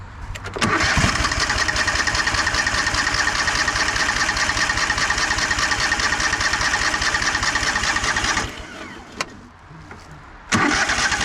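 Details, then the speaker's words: 2004 Craftsman DLT3000 lawn tractor after carburetor cleaning, old fuel pump refitted, on choke: long steady cranking for about eight seconds with only faint catches, then another try; fires briefly but won't start. "seem like it wanted to fire a little bit how's that is that enough"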